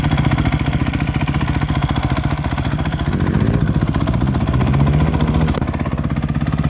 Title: Crf 250R ticking noise